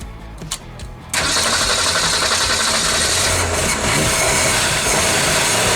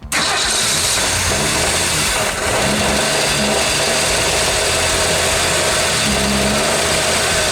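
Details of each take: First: 1965 Ford Mustang built September 1964, sat in dirt since 1990, first start after about 30 years with cleaned grounds, good battery and freed seized carburetor butterfly; starter cranks, engine catches and idles loud, ragged and lumpy: rough running after long storage. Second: 1965 Ford Mustang first start after sitting since 1990, grounds cleaned, good battery, freed seized carburetor butterfly: engine fires and settles into a steady, even idle with no misses, partly masked by music; running normally.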